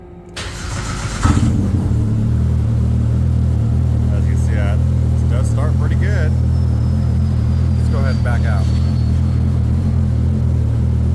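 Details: Polaris RZR Pro R fitted with a LaRue Premium Turbo Kit and a plug-and-play stand-alone ECU, started with the start button before warm-up: a quick crank, then a steady, even idle with a low drone and no misses.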